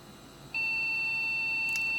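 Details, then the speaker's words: Custom Athlon desktop, MSI board, Phoenix BIOS with salvaged DDR RAM: one long high-pitched beep repeated at power-on; suspected memory fault. "This is a Phoenix BIOS, and I don't recognize this beep code. It's a single long beep, and it's repeated."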